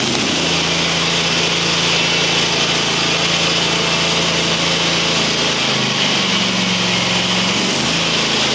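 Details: Used mower's small twin, the bigger-horsepower engine with upgraded head gaskets, still cold. Runs steady and even with a crisp exhaust beat, only a brief dip in speed; sounds healthy.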